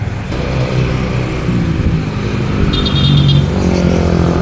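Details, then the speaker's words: Yamaha NMAX scooter road test after replacing the primary driving gear and bearing: steady drone rising gently with speed, and the loud transmission noise that appeared from about 20 km/h and faded by 40–50 km/h is gone; normal ride. "Okay na. Wala na yung kapag ano. Wala na yung umihiya. Hindi na masyadong dinig pero okay na. Wala na yung ano yung yung malakas ng tunog kapag nagt-20 KPH siya."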